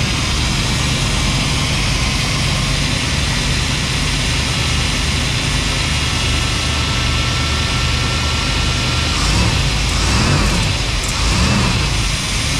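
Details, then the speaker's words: 1991 GMC Suburban with a 5.7 TBI engine, sat 10 years, fuel pump hotwired: loud, steady, fast idle that never settles; owner suspects a missing vacuum line. Possibly low power steering fluid. High idle. "all right well we know it'll run and idle uh there's a vacuum line that's missing I think that's why we have such a high idle still"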